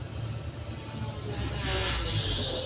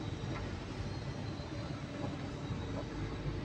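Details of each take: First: Cat 320DL excavator diesel bogs and strains under hydraulic load, nearly shutting down while main relief valve relieves pressure; pump flow overloading engine, causing low power; fix is pump flow adjustment. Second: Cat 320DL excavator diesel, after flow pump adjustment for low power and overload: deep, steady drone holding even speed with no hunting or laboring; engine sound judged okay at the ideal adjustment position.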